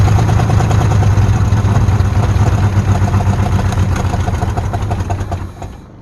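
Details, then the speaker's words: Abandoned 1948 Ford F5 bus, first run after sitting 25 years: deep, lumpy idle around three beats a second, slightly irregular with clatter, then shuts off; carburetor needs rebuild, throttle linkage unhooked. "Of course, we're gonna need to do a tune-up on it, rebuild that carburetor, get the linkages and throttle linkage hooked up. Yeah, but she runs."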